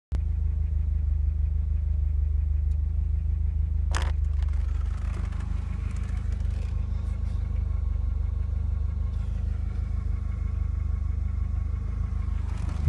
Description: Volvo 740 b230ft misfire / rough idle.